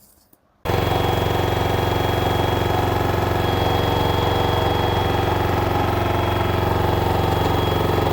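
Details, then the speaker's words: LG 10 kg washer / 7 kg dryer front loader, smart inverter direct-drive motor, loaded and spinning: loud, steady roar with a fast, even buzz of about four beats per second; the mounting of the main control board is vibrating, while the bearings checked fine. "This machine with the load is making while spinning time huge noise. It is very abnormal."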